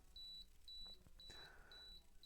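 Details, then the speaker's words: Canon AE-1 Program 35mm SLR self-timer (single fixed delay, unlike the A1's 2 or 10 seconds), recorded near lapel mic: faint, even high-pitched beeps about twice a second, each a quarter second; normal self-timer countdown beeping. "With the Canon A1, it actually has either a 2-second self-timer or a 10-second self-timer. So, but with this one, you've got a one-size-fits-all self-timer, which that's just one of the differences between this and the A1."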